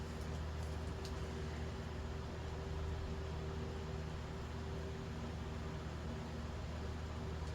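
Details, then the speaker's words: Hunter Summer Breeze 48-inch ceiling fan model 22443: soft steady hum with faint constant motor tone, no ticks or scraping; smooth, good runner, rated bedroom quiet. "So the last one we said was Bedroom Quiet. I think. I mean, it was pretty quiet, but I'll give this one Bedroom Quiet as well."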